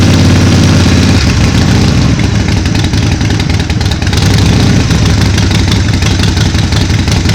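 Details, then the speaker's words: 2005 Harley Sportster 1200 XLC, 25,000 miles, after winter storage, slow to start on a low battery: loud lumpy V-twin idle with an even loping beat, no knocks or rattles; healthy. "yeah you know i love the sound of it i mean it just sounds so much healthier even if it didn't start right up"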